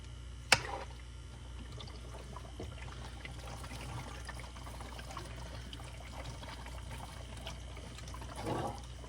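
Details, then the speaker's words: Fluval 107 canister filter after cleaning, valve opened before plugging in so the self-priming canister fills: soft, steady rush of water under a low hum, stopping cleanly when full; normal filling during priming. "You open this valve and you're gonna hear this thing fill up. Once you hear it stop filling, then you plug it in."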